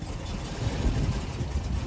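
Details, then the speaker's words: 1997 Mercedes S420 W140 that sat for years, suspected fuel system debris: low uneven shuddering idle after starting on its own; fuel system flush and tune-up planned, cause unconfirmed. "Not great, but goals accomplished."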